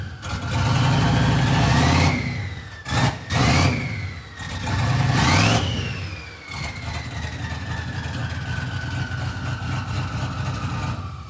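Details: 1967 Chevy C50 truck with turbo LS V8 (7875 turbo, Holley Terminator X Stealth EFI): lopey, choppy big-cam idle with blips where turbo whistle rises then slowly winds down; healthy, normal idle and revs.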